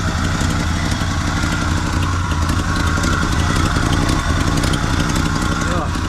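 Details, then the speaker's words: Abandoned 1974 Chevy C10 dump truck, first run after years on old fuel: lumpy idle with sharp puffing tick in time with firing on one side, smoky, smells of bad fuel and burning oil; significant exhaust leak. "all right so we got a significant exhaust leak over here"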